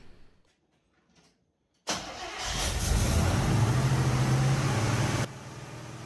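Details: 1983 Chevy K10 V8 first start after replacing the factory Quadrajet with a Holley Performer carb, initial carb setup only, after fuel system work. Silence, then it catches almost at once and settles into a steady, even V8 idle; normal engine start.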